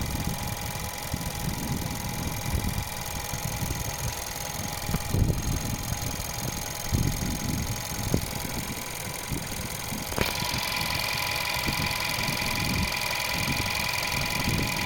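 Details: Skoda Yeti 1.2 TSI petrol at idle: quick, uneven light ticking over a steady hum; owner suspects timing chain rattle or fuel pump, unconfirmed.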